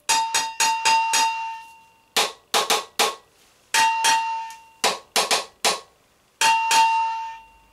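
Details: Moped exhaust silencer struck by hand, compared with the MBK Kansas's: quick groups of four or five metal taps, each ringing with a clear sustained tone; silencer sounds open inside, not clogged like the MBK Kansas's, which sounded full of muck.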